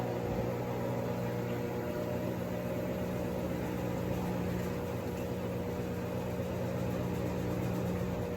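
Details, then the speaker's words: Three-year-old Sears Kenmore washer after gearbox/transmission replacement, at maximum spin: steady, even motor hum with smooth whir, no grinding or roar; normal spin, confirming the gearbox/transmission was the noise source. "has now reached maximum spin so it appears if you listen to the before video and this video the gearbox slash transmission was the issue"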